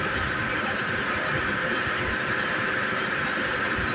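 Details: Chain-drive motor and transmission gearbox trial run on elevated hanging equipment: steady even hum with constant whine, no knocks, grinding or surging; vibration readings about 2–4 mm/s, within acceptable limits; normal running.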